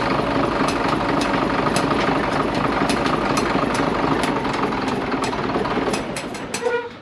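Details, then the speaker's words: Cat D6C dozer diesel idling: a loud, uneven chug with a stumbling beat about four per second, a dead miss; compression testing found cylinder number 2 completely dead and the other cylinders low. "Now, the reason I was videoing this thing is because you could hear the miss in it. It had a dead miss in it."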